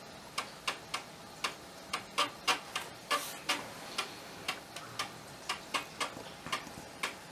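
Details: Amiga 1200 floppy drive after unseizing the track motor and cleaning, reassembled and reinstalled, loading a disk; crisp quiet clicks at uneven intervals, no grinding or scraping; working normally.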